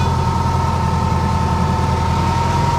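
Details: 1976 VW Fusca (Beetle), air-cooled engine at lumpy idle with a steady mid-pitched growl on top; the alternator bearing has started growling again, a worn alternator bearing.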